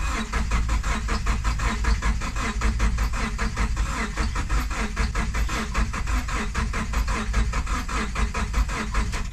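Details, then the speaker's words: Vehicle bought off Marketplace, coolant heard running out, head gasket believed blown: steady fast cranking chug, about five even beats a second, never catches; no start from coolant in the cylinders. "I guess we got a popped head gas yet let's see if she'll fire again or see if she'll push more coolant"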